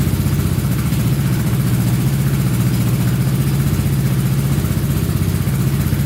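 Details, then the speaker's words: Honda Big Red ATC 200 (200cc) three-wheeler, barn find sat over 6 years, carburetor reinstalled; leak stopped, owner thinks needle wasn't seating while cold: even low thumping picks up cleanly with throttle, no knocks or misses; normal idle and revving. "I'd say she runs pretty good. Carburetor stopped leaking. Must have just been cold and that needle probably wasn't seating correctly."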